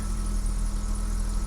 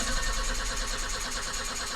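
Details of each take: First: 1984 BMW 318i E30 that sat four years, after refuelling with about four gallons: steady, even low idle with no stumble or skipped beats; the misfire from running low on fuel is gone, engine running smoothly. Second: 1984 BMW 318i E30 that sat four years, crank-no-start from running out of fuel: after adding about four gallons, long steady cranking to rebuild fuel pressure to the injectors, stumbling, briefly cutting out, then catching and settling.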